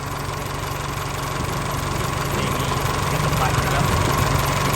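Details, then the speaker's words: Isuzu 4JK1 diesel just rebuilt after dead, stuck piston rings, first start after oil and coolant filled: settles into a smooth regular idle with low even chug, very quiet, no knocking or blow-by. "ยนต์ติดที่มานิ่งเลยครับเพิ่งขึ้นเมื่อกี้นี้นะคลิปเลยนะคะนี้เสียงเครื่องเงียบกริ๊บเลยนะ"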